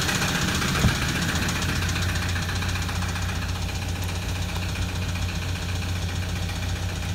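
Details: 2007 Toyota Land Cruiser 120 Prado diesel, 230k, cold start idle: a heavy, loose knock two or three times a second over the diesel clatter, only slight oil smoke; engine near dead from oil starvation, diagnostics show injectors one and two off.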